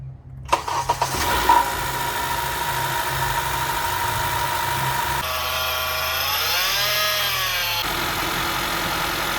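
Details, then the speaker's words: Serpentine belt drive on a 2.4 four-cylinder Honda (2013-2017 Accord/CR-V) after tensioner pulley replacement: engine cranks, catches quickly and settles into a smooth, even idle with no belt squeal or chirp; normal idle, noise solved. "awesome so we got our tensioner pulley fixed the noise is solved now let's go ahead and put back our coolant reservoir nice and secure there"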